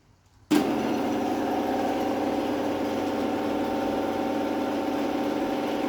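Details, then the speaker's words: Genie 450 screw-drive garage door opener with rubber mounting isolators, run by button: motor kicks in abruptly, then a smooth, even, quiet drone with no knocks or grinding, relay clicking off after it stops; healthy operation. "It is actually very quiet. It's got that classic sound to it."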